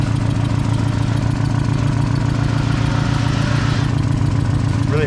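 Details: Drift car engine with Megasquirt plug-and-play ECU, hot after track session: rough, loping idle stumbling irregularly; persistent misfire, owner fears a damaged valve, cracked downpipe flange leaking exhaust may be upsetting the AFR reading.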